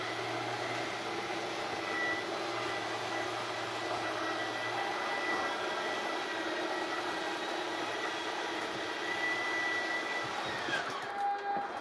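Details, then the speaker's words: RV slide-out retracting, RV level and engine off, retract button held: even electric motor hum steady through travel, pitch shifting as it loads up at the stop before it parks; normal retraction. "And when it reaches the end of its travel, the motors will load up, let off the switch, and it'll park itself."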